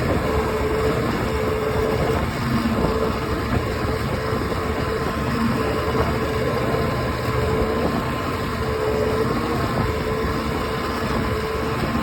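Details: OX66 outboard running steadily with a coarse grinding rumble under the engine note and faint recurring clicks; new spark plugs helped only briefly, compression excellent, prop not slipping, cause unknown.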